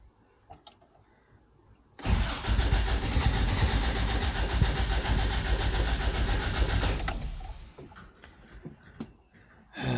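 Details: 1988 Toyota Pickup (Hilux), off the road nearly 5 years, new fuel line: starter cranks about five seconds at even pace, never catches. Cranks and has power but no start; owner concludes the fuel pump has failed.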